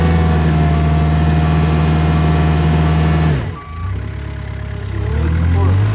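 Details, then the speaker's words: Kubota R520 hydrostatic wheel loader with an intermittent fault where reverse quits after a minute or so: engine holds steady, then pulls down sharply and slowly recovers with the reverse alarm beeping. Reverse goes flat climbing the pile as if hitting relief, while forward climbs. "So definitely proved that uh reverse just kind of falls flat on its face when you go into the pile and that forward it definitely wanted to climb that pile. The wheels would keep spinning but in reverse it just it's almost like it's hitting relief in the revers"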